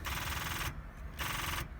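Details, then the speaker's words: Junkyard Subaru project car, sold as a runner, first start attempt: two bursts of fast, harsh solenoid chatter under a second each with no cranking; the battery is dead. "let's see if it starts come on oh the battery is definitely dead"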